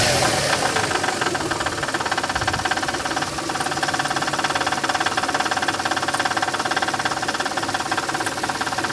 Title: Стук двигателя 1MZ появляется при долгой стоянке на холостых